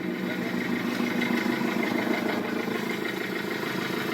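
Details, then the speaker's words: 1.6 HDI diesel idling with an uneven light slapping about twice a second; failed belt tensioner lets the auxiliary belt slacken and flap, risking it coming off and jamming behind the crankshaft pulley. "Là, si vous remarquez, le problème, ce qui cause ce bruit c'est le tendeur de courroie, et ce qui se passe ici c'est que cette sangle se desserre et tu peux sortir, regarde, là tu vois comme elle danse, tu vois comment elle bouge"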